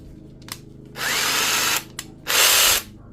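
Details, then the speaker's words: DeWalt DCF891 cordless impact wrench, after cleaning and regreasing, free-running in two short bursts with a harsh, rough gear whirr; it ground and jammed before, and gear teeth are visibly damaged. "it now turns it wouldn't turn properly before but um it's still noisy you can hear those [Music] gears"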